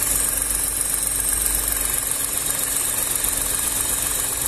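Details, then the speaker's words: VW up! TSI idling warm while waiting for radiator fan; dash reads 90°C though actual coolant is 97–98°C; fan finally kicks in slowly, quiet steady idle with soft even whirr, no knocks; normal idle, car in for heater-hose bypass. "vou esperar ligar a ventoinha aí eu te dou já mostro para vocês ó pessoal Demorou mas ligou bem devagarinho tá vendo tá rodando meu prato"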